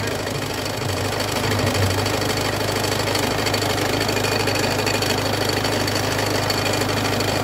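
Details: Peugeot 206 1.4 HDI diesel with a loud, fast rhythmic knock over the idle from the front of the engine. The crankshaft pulley is damaged and must be replaced before it breaks.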